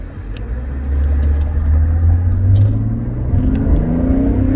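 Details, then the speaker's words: Mercedes-Benz E300 OM606 turbodiesel, after reattaching loose turbo vacuum hoses, clearing codes and tightening parts, driving: the rumble climbs steadily in pitch under load with no hesitation. Healthy turbo boost, where before it struggled to reach 40 mph. "she boosts oh oh she's got power oh oh my gosh not bad all right oh this is beautiful you guys have to understand something this car couldn't get up to 40 miles an hour without a struggle but my god this thing's got beautiful boost now"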